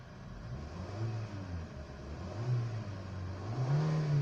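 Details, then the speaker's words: Kia Picanto with about 2-second throttle delay, after brittle heat-damaged hoses and wire harnesses sprayed with WD-40, revved at idle: now responsive. Engine note climbs promptly and settles back without hesitation; normal throttle response. "So responsive na siya. Hindi kagaya nung dati 2 seconds bago mag-response."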